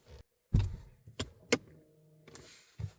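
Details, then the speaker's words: Ford electronic parking brake, just taken out of maintenance mode, being switched off: clicks and clunks, then a short steady motor whir as the rear actuators run and stop cleanly. Normal operation. "Key off, key on. And you could hear the parking brake work."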